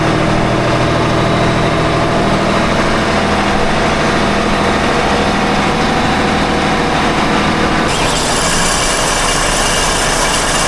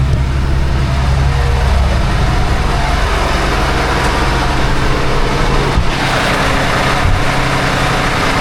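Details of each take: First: Engine on 47 ft Carver motor yacht mid-Gulf: diesel clatter with harsh gritty rasp louder near pulleys; pulley hot, belts tight; metal on metal, suspected pulley bearing failure, owner unsure. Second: Port engine of 47 ft Carver motor yacht after repair (bad catchy pulley bearing dealt with), run to about 1000–1500 rpm: steady deep drone, no grinding or squeal, belt no longer flaking; no more noise, supercharger hopefully saved.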